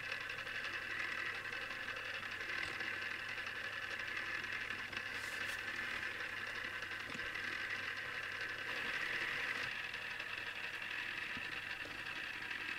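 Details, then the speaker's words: Newly assembled Tamiya Display Turntable Black on its first test spin. A quiet, constant high whir with a faint rattle at steady pace. Owner dislikes the gear noise and may fix it later; cause unknown. "I must admit I'm not really into the sound made by the gears, but either I'll get used to this or I'll fix it somehow."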